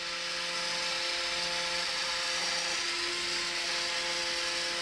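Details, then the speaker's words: USB-powered flexible-stem desk fan plugged into a laptop: steady high whirring hiss with fixed motor tones, noticeably loud and possibly rattling the laptop. Loud fan motor noise. "the fan starts working and you can just bend it into position there is quite a breeze coming off but as you might hear it's quite"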